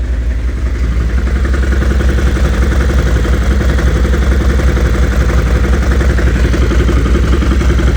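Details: Stels Gepard 800 quad at steady lumpy idle with a regular ticking knock about three per second over the engine note; engine knock, source undetermined.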